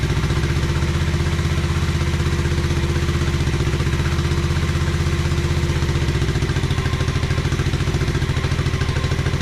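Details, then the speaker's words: 1986 Honda Fourtrax 125 after carburetor cleaning: single cylinder at a steady fast idle, even firing with a light clatter, no misses or hunting; normal running. "yeah that sounds great though"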